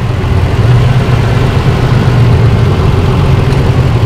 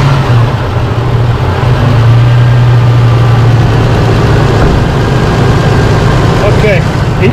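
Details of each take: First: 2005 Holden Rodeo 3.5-liter, rough idle with one cylinder dead: low, uneven, lumpy stumbling beat of a misfire; fix is one ignition coil and six spark plugs. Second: Holden Rodeo V6 petrol idling after replacing dirty spark plugs, including a dead one on misfiring cylinder 6: steady, even low hum with no shaking or missed beats; normal idle.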